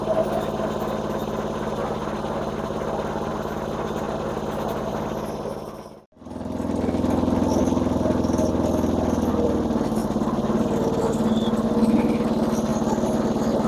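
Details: Massey Ferguson MF-7 tractor under restoration, running with mower blades not engaged: small single-cylinder engine at a steady, even beat of about three and a half a second, no miss or hunting.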